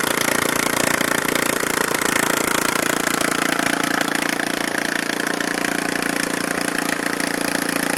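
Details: Neglected Briggs and Stratton 13.5hp Intek single-cylinder after repair (used carburetor fitted, valves adjusted, shrouds and wiring reinstalled): steady, even firing at constant speed with no misses, knocks or surging; running cleanly.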